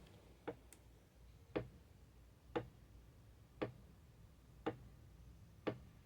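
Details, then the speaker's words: BMW E46 rear differential with an MFactory limited-slip unit being installed, ring gear rocked by hand before a dial-indicator check: single light metallic clicks about once a second, a small, normal amount of gear lash. "So for example, the gear lash is going to allow this ring gear to go back and forth just a tiny little bit. You can actually hear it if you listen closely."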